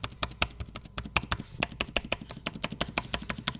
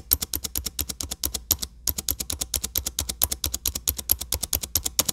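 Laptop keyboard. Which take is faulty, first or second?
second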